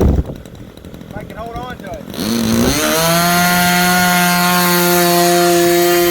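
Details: Super Tigre 90 glow engine in an RC Super Chipmunk being tuned for the mixture: sweeps up quickly, then holds a steady high-pitched scream with no sag or fade; normal full-throttle run, close to ideal, slightly richer wanted.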